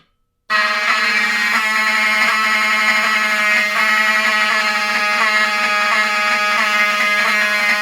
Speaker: But when the system is in battery backup, with the backup batteries, the power supply on the inside will output filter DC, which will make the alarms themselves sound a lot nicer, more smooth, I guess.